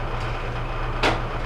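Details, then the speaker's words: Whirlpool Duet steam dryer WED94HEXW1, side panel off while tumbling: steady low rumble with a scraping thump as the egg-shaped, bowed drum contacts the side pan on the right; drum W10541657 needs replacing. "I can see that the drum actually is not we'll say circular it's more egg shaped there's a there's a bow in one point of it um so we're going to end up having to replace that drum"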